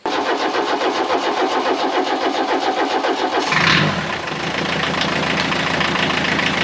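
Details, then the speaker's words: 1984 VW Rabbit Mk1 diesel, parked 26 years, on its first start: cranking chuffs catch and it settles into an even diesel clatter at idle, with good oil pressure and the oil light off. Oil is spilling everywhere (awaiting a valve cover gasket). "think sounds great we got good oil pressure we're making an absolute mess"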